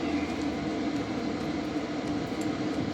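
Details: BougeRV 2000 W pure sine wave inverter under a load test being pushed toward 1300 W: a steady fan hum with a constant mid-pitched tone as the cooling fan kicks on. Normal cooling fan operation.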